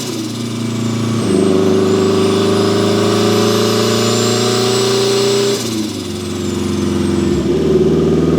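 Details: Turbo Mazda Miata, built 1.6L with a new head gasket, new clutch and flywheel, and a custom unequal-length turbo manifold giving a Subaru-like sound, about 14–15 psi boost. A strong, even note climbs through three gear pulls with a rising turbo whistle and no flutter: a healthy turbo engine under acceleration.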